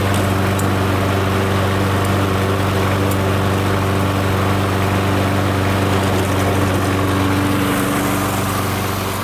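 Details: MTD Gold self-propelled mower with Briggs & Stratton Quantum engine, primed and started outdoors after pull-rope repair: steady, even single-cylinder putter, no misses or knocks; runs good, self-propel intermittent, stripped front wheels suspected.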